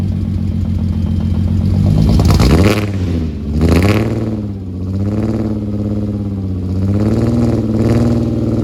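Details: Rebuilt VR6 (replacement crank, rods and pistons) on cold start, recorded at the exhaust, with throttle blips; uneven, lumpy exhaust beat; misfire not yet traced, owner suspects a disconnected wire.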